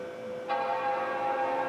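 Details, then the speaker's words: Quad G5 water-cooled tower, first power-on, side cover off: clear, sustained bell-like startup chime over steady fan hiss with the water blocks spinning up; normal startup chime. "let's push the power button see what happens here sounds like quad g5 to me water blocks spinning up there"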